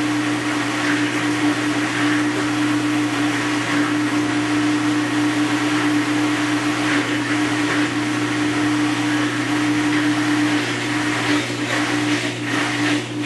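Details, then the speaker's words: Maytag Centennial Commercial Technology washer, about 14 months old, overloaded for demo, spinning after rinse cycle: steady motor hum with constant mid-pitched whine and irregular knocking on top; owner calls noise deafening, source unclear. "I think I lost at least 10% of my hearing over that I'd say the level is 100 decibels maybe 110 when all that noise is going on is deafening"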